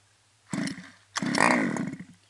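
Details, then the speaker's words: CY 23cc gas engine in a Mutilator-6 R/C buggy with an Xcan, fuel bulb primed and choke closed: two pull-start bursts, the second ending in a short sharp pop. First pop on choke, so the choke can now be opened. "After this has been primed, push your choke down. This is the choked position. Now you pull the motor until it pops."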